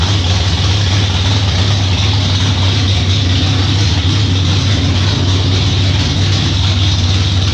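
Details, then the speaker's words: 600 HP 468 big-block El Camino, first startup after fuel system priming, lit on one crank: loud, deep, even rumble holding steady without misses or knocks; healthy idle. "well guys that does it the thing finally runs and honestly I cannot believe it started up that quick"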